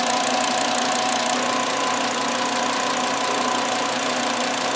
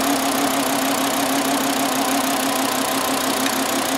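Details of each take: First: 2009 VW Jetta 2.5L that had a flashing check engine light and severe misfire, after replacing the cylinder 2 ignition coil with a secondary winding fault: even, steady idle with a faint valve tick and no stumble. All cylinders are firing. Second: 2009 Volkswagen Jetta 2.5L, flashing check engine light, at idle during cylinder drop test; uneven loping stumbling idle, misfire traced to a failed ignition coil confirmed by swapping coils, cylinder without spark.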